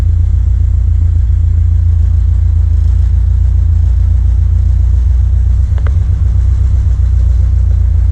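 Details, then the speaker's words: 1979 Corvette L82 V8, warm after the choke opened, idling with hood down: deep idle that stumbles and dips irregularly; rough idle, not a vacuum leak per smoke test, fuel-delivery problem suspected. "RPM gauge is definitely wrong. This is the closest to an idle it's ever been, but it's still like stumbling."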